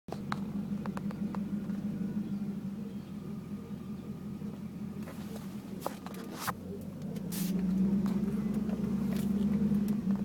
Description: Sound I hear when my car is going slow